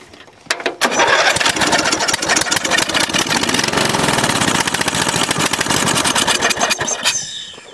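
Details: Dynamark lawn mower sat since last fall, on fresh gas after stale fuel flushed: pull, brief rough uneven sputter fading out instead of settling to idle; starts and dies, owner suspects carburetor, not confirmed.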